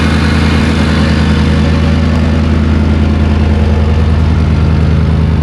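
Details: Land Rover D110 with a swapped 5.3 LS V8, at idle and not revved because of an unresolved throttle issue: a steady, even low V8 burble with no misses, knocks or hunting. The engine is idling smoothly.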